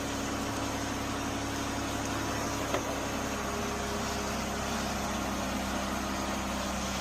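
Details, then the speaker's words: Jeep Cherokee idling smoothly with a low constant hum, no knocks or stumbles, after a jump start from a dead battery at 11.6 V with tight terminals; charging reads about 14 V, so the alternator is good. Normal idle. "All right, your alternator is charging and you're at 14. So, your alternator is good."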